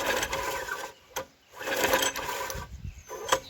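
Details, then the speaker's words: Junkyard Briggs & Stratton tiller engine (owner thinks 5 hp), water-logged, cranked after the stuck valve was struck with a rubber mallet. Short, light, fast cranking bursts with no compression beats and no firing; the valve is still stuck. "That valve is really stuck. So we're gonna have to keep working on it."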